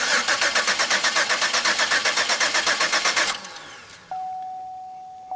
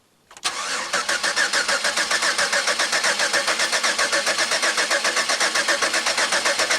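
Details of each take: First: Pontiac Aztek after 8 months sitting in pieces, fuel pump primed: starter spins the engine at an even four beats a second for about three seconds, never catches; cranks but won't fire. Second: Pontiac Aztek cranked after 8 months sitting in pieces, no fire yet: steady, even starter cranking at about four beats per second with no binding or clunks; normal cranking, engine turns freely and is not seized.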